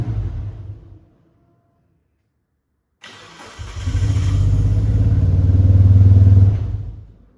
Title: 1996 Mitsubishi Lancer Evolution IV - no start cuts out rough running